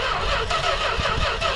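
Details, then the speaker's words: Industrial 440 engine in a truck, throttle held wide open with gasoline poured in. Sluggish, uneven cranking that drags and never catches, the battery running down from repeated tries; it popped a couple of times: slow cranking, no start. Cause suspected, not confirmed. "It popped a couple times. She's teasing. Well, his new truck definitely has life. Just needs a little bit of TLC before it'll run."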